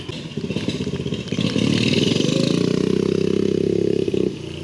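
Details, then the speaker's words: Engine pulses rising with revs and a faint rising whistle over the exhaust on a 420cc turbocharged drift trike with newly installed EFI, reaching 4 psi boost; normal turbo spool. "That was 4 PSI right there. I can hear it. I can hear the turbo, dude."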